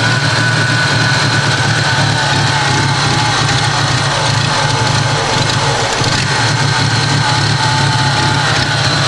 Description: i got it to idle but its very rough